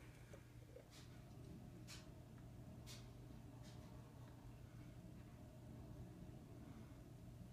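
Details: Furnace blower, apparently sealed with no oil port, in a 90% efficiency furnace, not very old: faint steady high whistle over low blower hum, no pitch change, getting louder over time; cause unknown.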